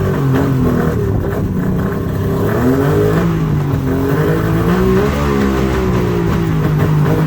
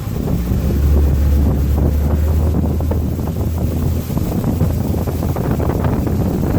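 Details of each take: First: Mercury two-stroke outboard on water muffs after new fuel-water separator and new plugs, on high idle choke: loud low drone whose pitch wanders at idle; running on all cylinders but idle needs adjusting. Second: Mercury outboard underway in rain and heavy wind, after fitting a new fuel-water separator: low steady drone without stumbling or surging; running as fast as it should.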